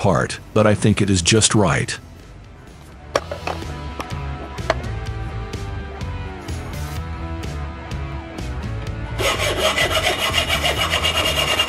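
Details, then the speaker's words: Compact DIY lathe-mill-drill turning the outer and inner diameter of a simple metal part: rough, rasping cutting chatter caused by loose bolts fixing the X-axis; retightening the bolts fixed it. "何かが間違っている。この音は何かがおかしい。X軸を固定しているボルトが緩んでいます。これでは機械を正常に加工できません。"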